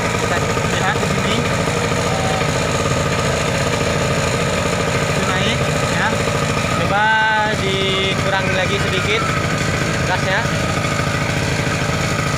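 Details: Generator that ran but gave no electrical output, after replacing the capacitor: steady even engine hum at constant speed with no hunting or misfire; now running normally and producing power.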